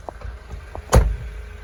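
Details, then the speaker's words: 2004 Mercedes SLK 230 automatic, 55,000 miles, engine idling while the folding roof retracts: low motor hum with one solid clunk as the boot lid lifts and the roof folds; normal roof operation. "You can just see it going, the boot lid lifting behind me, and there goes the roof. Exactly as you'd want it to do."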